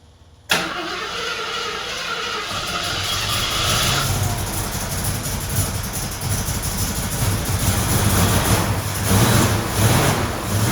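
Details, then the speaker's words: 1974 AMC Javelin: fires after a short crank, then runs rough and uneven at low rpm, smoothing only when revved; excess fuel is getting past the carburetor venturis and can't burn at low rpm. "okay unless we're running at a higher RPM it's not going to be able to burn the excess fuel that's getting into the intake it's getting past it's going around the venturi's that are measuring the fuel"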